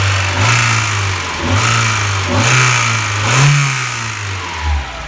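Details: Mazda MX-5 Miata (Eunos Roadster) B6 engine blipped up and down a few times, with a light ticking riding over the revs; source of the tick unclear.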